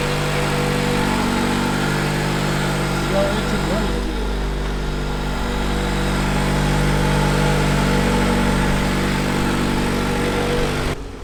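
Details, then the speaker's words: Honda CRX idling just after first start in months: steady, even idle with a smooth low hum and no misses, knocks or ticks; no leaks seen, engine sounds healthy. "been months since the CRX started, and as you guys seen, the first pretty much full turnover has started right up."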